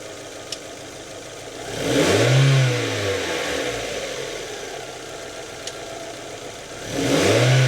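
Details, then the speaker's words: Mazda Miata NA/NB, engine idling, cruise actuator powered with all three coils grounded via a spare battery, pulling the throttle cable: idle rises smoothly into a clean rev, falls back, then rises again. The actuator is in good condition. "If I now bring power to the actuator, all of the coils are grounded and the actuator cable is pulled. So we should hear the engine revving up."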